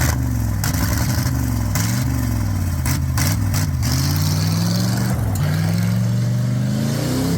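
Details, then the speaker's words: Ford Bullnose shortbed 4x4 pickup, believed 1985, revived derelict, driving through gears: deep engine drone rising and falling smoothly with throttle, no misfire or knock; sounds better now, choke suspected sticking closed earlier, may have opened. "man sounds better now yeah it does that choke might have opened up too"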